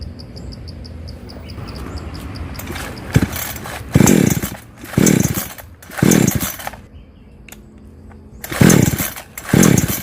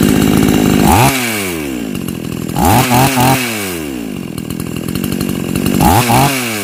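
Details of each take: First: Chainsaw that starts and then dies, with weak spark: it blips up in uneven bursts about once a second, then sags and can't hold revs, from a deteriorating ignition coil. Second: Chainsaw that cut out when hot, after fitting an old spare ignition coil: sharp, clean revs rising and falling in quick bursts with strong pickup; strong spark, runs healthy and pulls hard.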